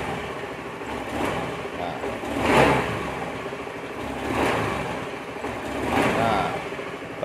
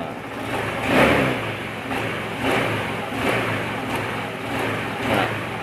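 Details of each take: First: Honda Beat FI scooter hesitating on initial throttle: three quick blips about two seconds apart, with revs climbing sluggishly and sagging, even on gentle throttle. Pump pressure is good at 40 but drops after key-on because of a leaking fuel pump pressure relief valve. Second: Honda Beat FI scooter after fixing the leaking fuel-pump valve with glue that caused stumbling on initial throttle: quick throttle blips rising and falling cleanly, no stumble or hesitation, smooth pickup from low to high.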